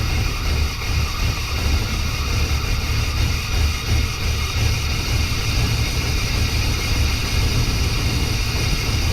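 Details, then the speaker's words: 1992 Chevy C1500 with its original small-block Chevy 350 TBI, recorded just after an intake change with the timing badly set: deep, heavy V8 idle that sounds lumpy and uneven; rough idle from incorrect ignition timing. "be fair that video was when I just changed the intake and I had the timing all screwed up so it's not going to sound the best didn't start right"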